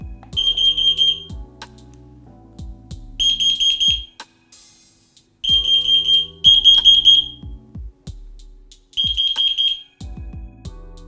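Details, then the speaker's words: FireAngel Pro Connected smoke/CO alarms after wireless interlink pairing, network test: loud shrill beeps in repeating groups about a second long with pauses; interconnected alarms sound normally. "You can then test the network by pressing any of the test buttons on any of these devices and listen for an audible sound."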